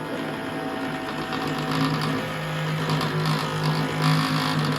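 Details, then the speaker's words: Ariens 1336 Pro snowblower electric chute motor after cost-free teardown repair; steady, even hum at constant pitch with no grinding or stalling; sounds healthy, chute motor working. "Ooh, she sounds healthy, doesn't she? That's results."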